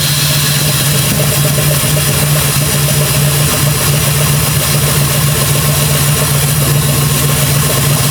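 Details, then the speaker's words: Jeep Grand Cherokee with freshly rebuilt 4.7 H.O. V8, first start after install: steady idle with a slightly uneven, loping beat; owner hears a possible misfire despite replacing coils; cause unconfirmed. "all right well we run I feel like I hear a Miss but he been throwing coils at it"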